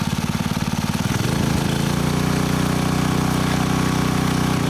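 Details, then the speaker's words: Honda WX15 1.5-inch water pump, after sitting three years, throttled from idle to wide open while feeding a sluice; owner thinks it was sucking a little air at the intake. Smooth climb to a higher, even drone; normal throttle-up. "There we go. Wide open throttle. I think at wide open throttle I was sucking a little bit of air here at the intake, but as you can tell, that is a lot of water moving through a sluice box."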